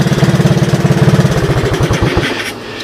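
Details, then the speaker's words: 1984 Honda ATC 200S three-wheeler with new carburetor, about 90°F: turning the headlight on makes the single-cylinder idle slow clearly, beats spreading out and fading within seconds; idle speed drops under electrical load. "headlight Works strange that you turn it on and the uh engine slows"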